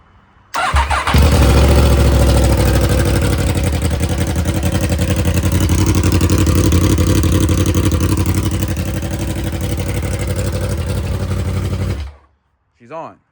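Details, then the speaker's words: Yamaha R1 during rebuild, previously wouldn't start, now idling fine once warm; fires quickly into a loud, crisp, even idle through open headers and mid-pipe only, steady firing pulses, healthy. "I'll start it up for you guys. It's like super loud. There's no There's only the headers and then the um like the mid pipe section section, so it's stupid loud for no reason, but"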